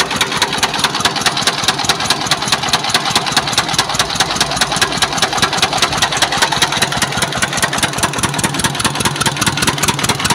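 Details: S1125 single-cylinder diesel that ran out of oil and was refilled and restarted: rough idle with a hard, regular knock about two to three times a second from inside the engine; connecting rod knock.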